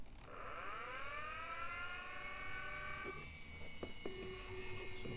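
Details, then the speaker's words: Commodore A590 hard disk expansion for Amiga, fan connected: small fan spins up with a rising whine, then settles into a steady, high-pitched, overly loud drone; noisy cooling fan. "welcome to Retro hell as you can hear this fan is going quite noisy"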